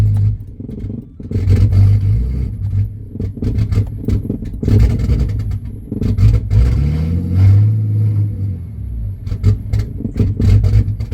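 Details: Turbo Ford AU Falcon ute on a purchased stage three flash tune: surging, sagging revs never settling to steady idle, rough running and stalling; tune suspected, fuel table multiplier being adjusted.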